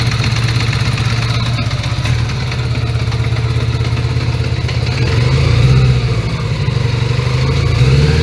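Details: 1980 Honda Gold Wing GL1100 flat-four, carbs freshly overhauled, cold start (about 3°C) with idle raised: deep beat stumbles now and then and surges slightly, intermittently not running on all four; owner suspects carbs out of sync.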